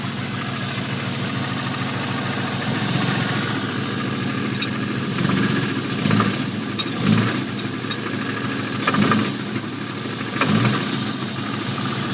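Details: 1989 Jeep Cherokee with a bad rod knock: rough idle with heavy, deep knocks thumping through the engine and swelling every second or so, consistent with a bad rod bearing.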